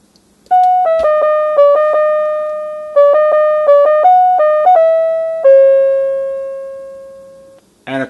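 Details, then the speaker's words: NuTone LBC55 electronic musical door chime with clock, after repair: clear, bell-like notes fading evenly as it plays song number 11; now playing correctly. "this is the standard eighth note Westminster and then the second song we played was number 11"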